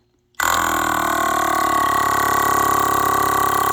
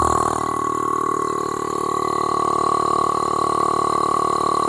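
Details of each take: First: Second 12 V air-ride compressor removed from a C4500 Topkick/Kodiak, air filter removed, powered by a jump box, pumping against a gauge with no reservoir: starts abruptly into a steady, fast, even buzzing chatter with no knocks, immediately exceeding 100 psi; healthy. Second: 12 V air-ride compressor removed from a C4500 Topkick/Kodiak, air filter removed, powered by a jump pack, pumping straight against a gauge with no reservoir: steady high-pitched motor drone with fast, even pumping pulse, reaching only about 30 psi; weak, low output.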